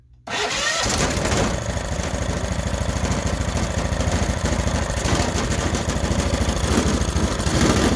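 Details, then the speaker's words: Honda GX390 on a stand-up machine whose auto choke had never worked and needed manual choking: after the fix it catches first try and settles to an even, steady beat, a normal cold start with the auto choke now working. "now the other choke is work soon as it started up the turn the choke off with the vacuum beautiful so we got the auto control working"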